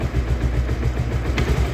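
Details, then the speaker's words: Idling Bajaj Pulsar 150 engine with a heavy, regular khat-khat knock, traced to worn magneto flywheel bushes; the title calls it a one-way clutch sound problem. "तो ये देखें जो खटखट की है जो इसमें आवाज आ रही है इसकी मैगनेट बुश में आवाज आ रही है"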